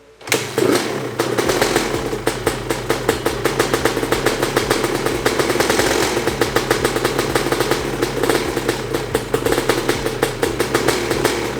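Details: Freshly rebuilt Honda CR250 two-stroke first start: steady crackly idle with light throttle blips; an earlier squeal near the power valve area was cured by tightening its loose cable, so no squeal now.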